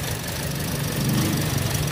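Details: 2017 Toyota Vios automatic: short burst of low, loping idle throb rising and falling unevenly; rough, unstable idle, misfire suspected but not confirmed.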